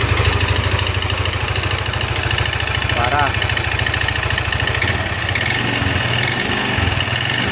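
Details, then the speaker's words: Yamaha NMAX scooter idling with CVT front pulley under test: loud rapid metallic ticking over rough idle; mechanic checking whether the ticking comes from rocker arms or from a scored piston/cylinder block. "untuk ngeleteknya ini apa dari pelatuk apa dari blok seharnya pistonnya udah mengalami luka gitu ya kita nyalain dulu Nah untuk Suaranya kayak gini bang"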